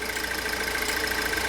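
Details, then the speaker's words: Pontiac Solstice idling, likely in closed loop, before high-pressure fuel pump replacement over a fuel odour: fast even ticking pulse over the engine, rail pressure bouncing 4.4–5 MPa; normal high-pressure fuel pump pulse. "I think what I'm going to do at this point is remove this and then start the car up, and we'll listen to the high pressure fuel pump. Okay, now you can hear the fuel pump now."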